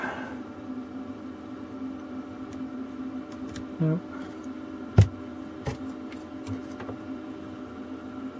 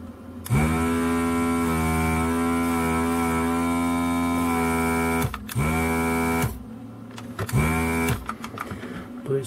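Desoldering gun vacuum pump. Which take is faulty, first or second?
second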